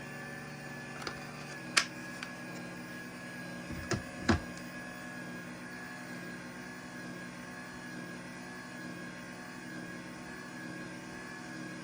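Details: LiftMaster 85503 garage door opener, new in box dated 01/2021 and stored four years, run with a programmed 877 on one-touch close: a soft, steady motor hum with a few light clicks and an even run. Normal operation.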